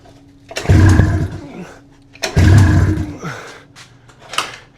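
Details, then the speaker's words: 600cc two-cylinder two-stroke snowmobile engine on a go-kart, long sitting with cracked cylinders hopefully repaired, run without exhaust: two long labored cranking bursts with low churning and no catch, kill switch left on; owner unsure of spark. "It's not working. I don't know what's good. Start. Start. Start. Runs about as good as the Titanic right now. Might as well be underwater. This thing doesn't want to start for crap."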